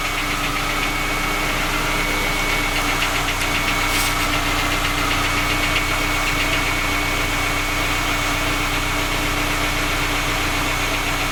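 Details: Skoda Octavia A5 facelift 1.6 MPI, cold engine: idle with a sharp, fairly regular ticking knock about four per second; three engine repairs made, knock source still not found; engine knock.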